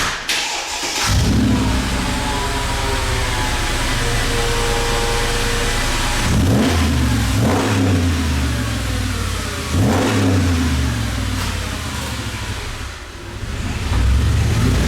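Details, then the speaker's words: Mercedes G55 AMG V8, 222,000 miles, side-pipe exhaust: deep steady burble with sharp throttle blips swelling and settling cleanly; normal healthy exhaust note, no misses. "First, you gotta hear this exhaust."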